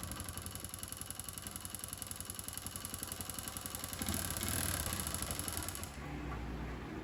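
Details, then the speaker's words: Honda Pop 110i, about 25,000 km, idling after timing chain repair: dull rapid knocking under the clatter. Oil pump gear failed, engine ran without oil; piston scratched, piston clip stuck, bottom end damaged. "a corrente de comando, todo o reparo, só que depois que funcionamos ela pegou, mas ficou com batido no motor, ó."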